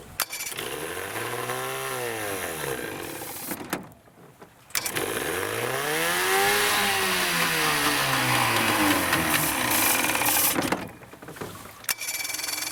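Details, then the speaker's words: Vintage Evinrude/Johnson 35 hp outboard with good spark but stale fuel, running on starter fluid sprayed in intake: catches, surges up and down for a few seconds, then dies; fuel contamination. "That sounds pretty good. I just want to see if I can run some of that bad gas out of it."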